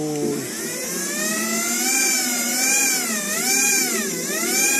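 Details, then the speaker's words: TXT1 gearbox with a part removed: smooth high-pitched whine rising and dipping with motor speed, no clicking, knocking or grinding; no problem at all. "取りますと、全く問題ないですよね。"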